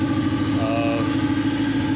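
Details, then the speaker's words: Honda B18C1 after in-frame rebuild, first start, header not yet connected (blown gasket): loud raspy exhaust with lumpy, unsettled idle; throttle position sensor out of adjustment, new TPS and screws to be fitted and calibrated. Previously would die without throttle. "the tps sensor's out of whack so i'm going to go and order a new tps into a new screws because there's no washers and we're going to calibrate it that's why it's idling so rough"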